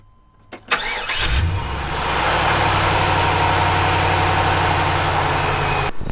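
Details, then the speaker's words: 1998 GMC K3500 454 (7.4L) V8 after a new cap and rotor held on with zip ties, following a bang, sputtering and power loss: catches at once into a steady, even idle; normal idle, though the distributor wobbles and seems worn. "it actually sounds really good um but i cannot trust it very long i feel like that distributors wore out"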